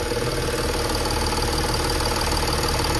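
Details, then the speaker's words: Audi A8 D5 diesel: idle with a faint rhythmic pulse, roughly 160 a minute, over the clatter; intake manifold flap swapped without change, pulsing felt at the high-pressure fuel pump supply pipe, pump suspected faulty. "И вот звук пульсирующий именно с ТНВД. Как вот пульсирует ТНВД."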